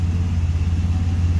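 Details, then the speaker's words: RB30 six in a Nissan Patrol GQ, cold day, idling: deep, steady low rumble with a smooth, even pulse and no knocks or misses. Idling cleanly and healthy. "There we go, idling away there now. Still running good."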